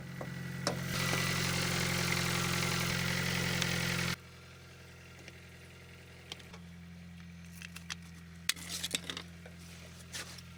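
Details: Case 580CK backhoe with a 188D diesel, running after a thermostat replacement for never warming up and a coolant refill. A loud start-up roar gives way to a steady low diesel idle hum with light ticks, which is normal.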